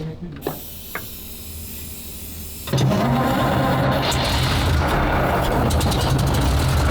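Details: Petrol military vehicle started with starting spray fed into a slot while cranking: quiet, then it catches near three seconds and the straight-eight settles into a loud, steady, low-rumbling idle.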